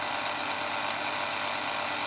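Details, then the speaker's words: Yaesu G5500 AC elevation rotator motor after replacing the failed capacitor that caused stalling; steady high-pitched whir, even speed with no dips or labouring; now running normally. "that motor seems to be beautiful now working fine lovely"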